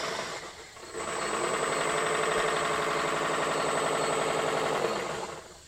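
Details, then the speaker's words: Grob 120 model aircraft electric motor after about 10 flights (first six perfect): harsh, gritty buzz with thin high whine on spin-up and wind-down; owner suspects bad motor bearings. "Not sure why it started doing this because the first six flights was perfect. Maybe the motor is bad."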